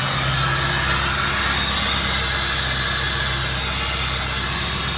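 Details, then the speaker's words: 1985 Chevrolet Corvette C4, sat about 2–2.5 years, idling: a loud steady hiss over a smooth idle, heard as a massive air leak up front. "guys it sounds not that bad besides the massive air leak up front"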